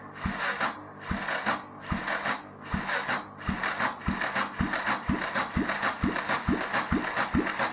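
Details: 1993 Yamaha XT 600 E (3TB) that sat about 12 years, cranked by a non-original starter on a booster pack: steady cranking at about one compression stroke a second, with rasping surges and no firing; the spark plug was later found black and fouled.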